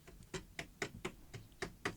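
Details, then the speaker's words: Salter EK5872 air fryer after repair: sharp taps about four a second on the housing, each with brief buzzy ring; heating element loop touching its neighbour vibrates, stops when finger placed between loops; design trait, harmless. "bit of a buzzing noise when you tap it. And I spent some time trying to work out if I put something together wrong. And it turns out to be the element. It's actually where the element here touches another loop."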